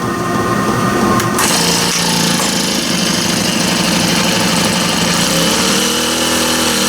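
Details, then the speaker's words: Honda GX25 four-stroke trimmer run before its service, with low, very dark oil. A high, busy four-stroke note running steady and strong at high revs; it runs well. "That actually ran pretty good. Pretty good little 4-stroke, I guess."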